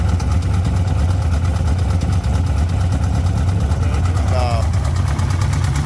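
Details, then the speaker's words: Procharged LS V8-swapped BMW that failed during Sick Week: a lumpy idle with a sporadic, irregular knock of about 88 per minute. It points to a bottom-end knock. "I guess it answers the question if it is a bottom end or not."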